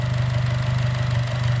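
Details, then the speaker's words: Chevy Cruze four-cylinder idling right after spark plug replacement: smooth, low steady hum with even beat, no misfire stumble or ticking; fired right up and runs well, though owner reports separate transmission issues. "All right, so she fired right up. It's running really good right now."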